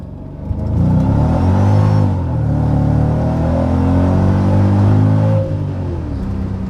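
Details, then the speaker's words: Stock Mercedes SL55 AMG at about 64°F, simple pull after AC compressor replacement: smooth, even rising pull with a deep steady exhaust note and no more clinking under load; normal acceleration. "zero clink clink clink clink clink anymore super happy"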